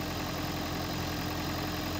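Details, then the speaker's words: Toyota Prius, sat most of a year, after hybrid battery refurbishment; engine idling smoothly held running by A/C on high, steady even hum with faint tone, no misses. Earlier stalling suspected from low or bad old fuel. Normal idle. "you can hear and he's running sounds pretty good so I think he either had low amount of fuel in it or maybe more likely not a lot of fuel plus since it's sat for most of a year maybe the fuel was bad"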